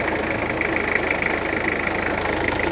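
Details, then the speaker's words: 1991 JDM Toyota Cresta that sat 10 years, idling after a timing belt change, new belts and coolant flush: steady idle with a fast, light chatter low on the front of the engine; owner suspects a small pulley, not confirmed. "sounds like that little pulley down there might be chattering. I do have a spare, but yeah, we'll see how it goes."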